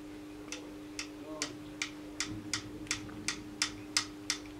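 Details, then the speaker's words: Scanning club light whose eight mirrors are driven by stepper motors: sharp, uneven light ticks over a faint hum. A loose screw on the motor bracket lets the motor rattle; tightening the screw is the planned fix. "So that's exactly what's making so much noise. So I just need to tighten the screw and hopefully it will work then."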